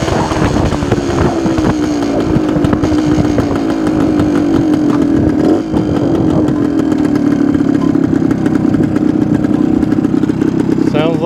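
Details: 1972 Suzuki TS250 two-stroke, with the 170 jet left in for a fuel delivery problem: strong steady buzz, revs ease down smoothly with no bogging or spitting; sounds more responsive.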